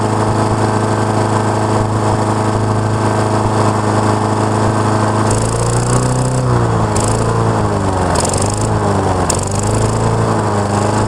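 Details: Honda lawn mower with an auto-choke problem, reported to run briefly then shut off, warming up after restart: a steady small petrol drone whose pitch then rises and dips as engine speed wavers. It had earlier run rich and stalled.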